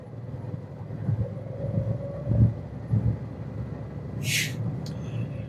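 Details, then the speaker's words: Truck air-brake pre-trip in the cab: the diesel idles while building air past 90–120 psi, then the governor cuts out at about 120 psi (expected 120–140) with a sharp, short air-purge hiss. Normal cut-out. "heard the governor cutoff switch kick in right at about 120 PSI."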